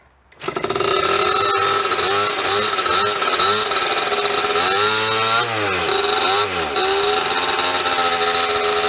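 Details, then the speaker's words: 1998 KTM 50 dirt bike two-stroke after carburetor cleaning: loud raspy buzz, revs wander and dip unevenly and it won't stay running; cause unknown, owner also suspects a bad clutch. "alright guys so it doesn't really stay running I don't know what the problem is"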